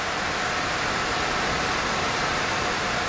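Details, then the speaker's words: Gigabyte RTX 3070 Vision graphics card, under load in Final Fantasy at about 73 degrees, PC whose screen goes blank in games: loud steady airy roar, fans running flat out, faint tone near 700 Hz. "It makes such a scary sound. It's almost like a roar, but the noise is louder than I thought."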